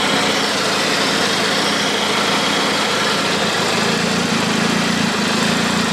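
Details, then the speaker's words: Stage 3 turbo petrol car (875cc injectors, 3.5" downpipe) with check engine light and boost leak from a missing exhaust manifold bolt: slightly uneven, hissy idle with many misfires logged when off throttle. "yep we got a lot of misfires when we let off the throttle so that's most likely why we got this check engine light um you can hear the idling of the car"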